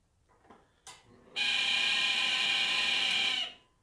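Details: 2012 Traeger Texas XL pellet grill: steady high squeal starts abruptly, holds about two seconds, then cuts off; the small fan is ruled out, and the squeal is traced to the main intake (induction) fan.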